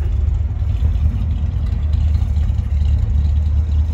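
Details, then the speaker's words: 1964 Ford Galaxie 500 convertible with exhaust (possibly glasspack, possibly stainless), heard from the rear tailpipes: deep, steady low rumble with no rasp, ticking or leaks; a healthy exhaust note. "he sounds good it might be stainless exhaust that's on there too"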